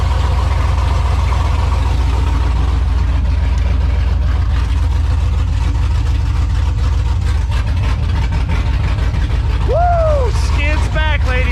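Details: V8 with Texas Speed Stage 3 cam, PRC Stage 2.5 heads, Speed Engineering headers, dual exhaust with X-pipe, MSD coils, HP Tuners tune, start after repair, Duramax off: deep heavy lumpy rumble settling to steady idle, no knocks or ticks; healthy.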